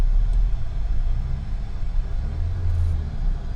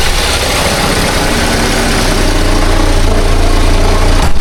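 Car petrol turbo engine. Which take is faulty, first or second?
second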